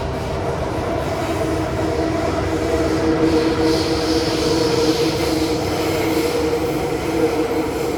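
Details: Kawasaki Heavy Industries & CRRC Sifang CT251 train set 2034 (carriage 20342), filmed 28 January 2024 running Upper Thomson → Bright Hill → Mayflower: a steady high wheel squeal rides level over the rumble of the rolling train.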